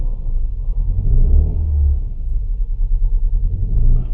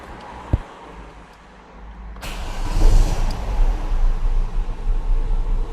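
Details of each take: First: Petrol Opel/Vauxhall Vectra with the engine management light on, idling low and uneven, stumbling and pulsing from a misfire that makes the engine struggle. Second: Petrol Opel/Vauxhall Vectra after new spark plugs fitted and fault codes cleared: engine cranks, catches and settles into an even, steady idle; misfire is gone.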